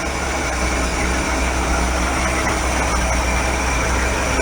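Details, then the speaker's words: 1965 Ford Econoline pickup idling after replacing the rotted exhaust manifold: a smooth, even low rumble with no ticking or exhaust puffing, quiet exhaust, normal idle. "man that sounds good quiet you think Lee I think the exhaust is good all the way up sir"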